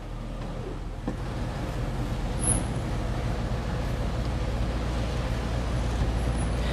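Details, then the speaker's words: 1956 Chevrolet: deep, steady low rumble from the V8 settling into idle right after starting on the first turn, even and smooth with no knocks or misses; healthy. "et voilà sa petite pièce qui démarre au quart de tour c c'est incroyable 7 56"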